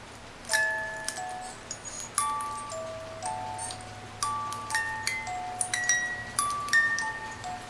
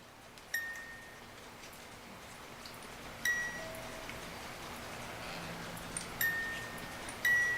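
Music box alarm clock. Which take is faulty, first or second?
second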